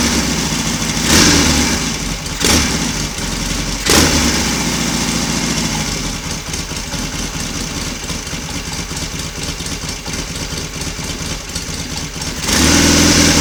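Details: Royal Enfield Constellation twin, cold start the morning after first two-cylinder run, one carburettor feeding both cylinders, no wet sump smoke, slightly sticky throttle cable; three clean throttle blips then steady, even idle, no misses or knocks; running well.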